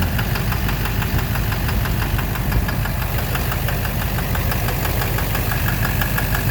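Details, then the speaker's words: 2009 Chevrolet Silverado 3500 Duramax LMM diesel dually, 59,900 miles, idling; sharp evenly spaced knock over the diesel idle, loudest near the oil pan, suspected bottom end. Intermittent since 57,500 miles, no abnormal wear metals in oil analysis, cause unknown. "Close to the oil pan. Yeah, it's quieter. It's right in the bottom end. I think it's in the bottom end."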